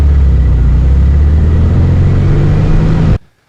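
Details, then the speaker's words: 1974 VW Super Beetle convertible flat-four after idle raised on the weaker carburetor side during tuning: steady low throbbing idle with an even beat and no misses or rattles before it shuts off; runs smoothly. "the 74 back in the shop it ran good the engine did all right"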